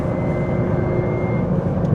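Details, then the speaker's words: Stock GT4 RS with no aftermarket exhaust, while driving: thin constant whine over road and engine drone, disappearing once in sixth gear. Owner unsure whether it's normal transmission noise and plans to have it checked. "It's not super loud. The car doesn't have an exhaust. So, I feel like if I had an exhaust, I probably wouldn't notice it."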